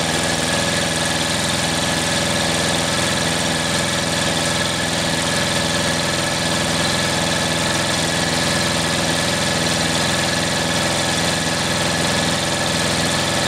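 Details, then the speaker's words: 1938 Caterpillar D13000 diesel, not run in years, water found inside: a steady, even churning with no firing as it turns over; the fuel pump delivers and oil pressure is good, but the injector pump gives no pressure, cause unknown. "so i've got fuel out of here so our pump's working our injector pump's not i can't get pressure out of the pump and i'm not sure why"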